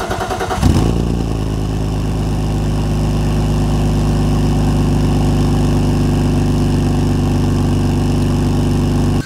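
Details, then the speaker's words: BMW E46 coupe, a former track car with a possibly modified exhaust and check-engine and oil lights on, just after starting: loud, slightly irregular idle with a high squeal; owner suspects a massive vacuum leak. "there's a lot of squealing I think there's massive vacuum leak somewhere because it runs a bit irregular"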